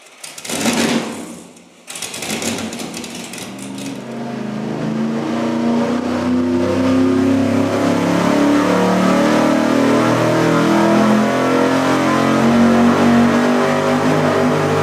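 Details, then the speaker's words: Cheap vacuum-secondary carburetor run straight out of the box on an engine dyno at full throttle. A hard roar with a wavering, pulsing note instead of a clean steady pull: surging under load. "It doesn't really sound very good. It doesn't sound good. It was almost pulsing like a massage shower head in a hotel room."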